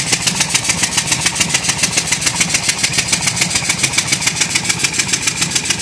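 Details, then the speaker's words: Ford 5.4 Triton petrol V8 idling with sharp, even ticking several beats a second that sounds like an exhaust leak at one cylinder; unchanged after a new manifold gasket, cause unknown. "this noise started suddenly we got for all the world it was an exhaust leak at one cylinder"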